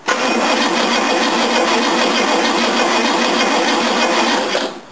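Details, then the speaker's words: Mercedes 1969 W111 220Sb, fuel off, after cleaning/fixing the battery terminal connection: starter spins engine briskly and evenly without bogging, no firing; cranking now normal, previously bogged down. "so let's see if it cranks any better now I've got the gas turned off so it won't start oh yeah that sounds"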